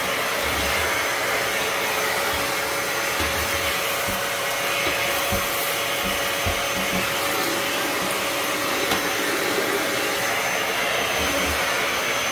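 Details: Dyson DC07 upright vacuum with the floor tool base moved aside to expose the brushes, picking up debris: steady, even motor whoosh with a constant high whine and no surging or choking; running properly.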